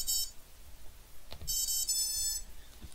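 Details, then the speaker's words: QAV250 quadcopter with CC3D flight controller during LibrePilot ESC calibration: high buzzy motor beeps in short bursts with pause, normal calibration tones. "you'll hear a little pause after that first sequence of beeps that's when you want to press the stop button and then immediately after you'll hear a few more beeps"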